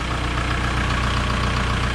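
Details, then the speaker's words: 2003 VW Beetle 1.9 TDI diesel, recorded from underneath: steady idle clatter with a light even tapping over it. Ordinary tappy diesel, normal diesel idle tappet tap. "When it's a diesel, so there's that. But there's always a little bit of a tappy motor. You can really hear it under here."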